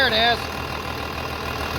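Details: 3588 diesel idling after an engine rebuild with new cylinders and pistons; smooth, low, even idle with no knocks or rattles, very quiet; the new hood fits tight without rattling; normal idle.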